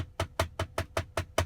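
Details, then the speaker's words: 2022 Tesla Model Y, under a year old and under 10,000 miles, cabin sound: steady, loose, hollow woody clacks about five a second from the overhead rear-view mirror console trim, which rattles by itself while driving. "there's a very very annoying rattling noise that comes from in here as you can see it's kind of hollow"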